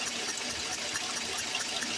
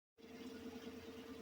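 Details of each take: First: 2014 Chevy Silverado 4.3 V6 direct injection, P0300 misfire and P219B codes, rough idle that smooths under power: quick even ticking about four per second under intake manifold, compression escaping past a blown fuel injector seal, oil around that injector. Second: 2014 Chevy Silverado 4.3 V6 that had P0300 and a cylinder 2 misfire, after replacing the fuel injectors: smooth, even, quiet idle with a steady low hum and no shake, miss or ticking; normal idle.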